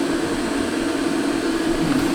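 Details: Diesel Heat DH15 diesel heater/hot water system, newly installed on a 40-foot wooden boat with 5 m of fuel line, first firing: steady even roar with a low hum, no pulsing or popping. The burner lit cleanly and is already warm.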